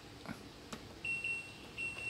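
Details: LG LD2040WH dishwasher after the door micro switch repair. With the door open, button clicks and short high beeps but no pump or motor start: it correctly refuses to run until the door is closed.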